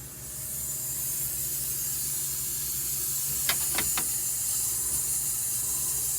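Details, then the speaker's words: MCI MC5 bus being aired up after all air lines were replaced with DOT nylon fittings. The only steady hiss comes from the fill point with no other leaks, and pressure is at about 55 psi and rising. The air system holds normally. "only noise here is where he's filling it from so that's a good sign it'll take a while"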